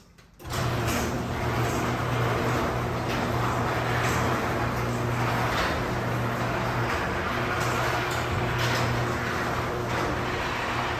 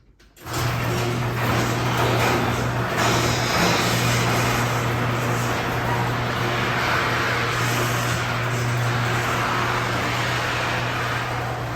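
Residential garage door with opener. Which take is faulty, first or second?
second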